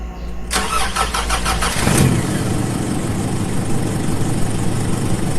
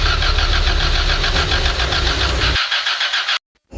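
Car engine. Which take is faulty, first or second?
second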